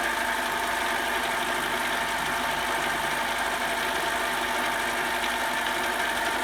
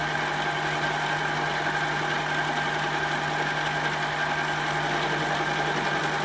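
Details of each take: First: Mini metal lathe, repeat 30 thou cut after tightening the tool post, with lubrication and higher rpm: steady high ringing tone with only a faint buzz left; chatter much reduced but still slight out at the unsupported end. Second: Metal lathe cutting toward a shoulder, tool sticking out unsupported and tool post wouldn't tighten down: steady harsh high ringing over lathe hum through the cut; tool chatter, better support and tightening the tool post should help.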